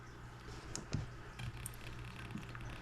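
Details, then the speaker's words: Monoprice 25 W per channel tube amplifier (tubes in preamp) idling: irregular crackles and pops over a steady low hum, left channel only; swapping tubes didn't help, volume doesn't change it, owner suspects preamp fault. "also I don't know if you can hear the crackling noises seems to be coming from the Left Channel only"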